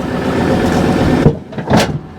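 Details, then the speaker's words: Ford Ranger Wildtrak truck hitching a fifth-wheel RV: engine rumbles, then one solid metallic clunk and softer thumps as the hitch jaw closes; the handle goes over, showing it is safely locked. "you hear that clonk so if you turn the old handle over Dave if you hear that clunk that's pretty much in and the handle goes over to the other side there and that's safely locked in"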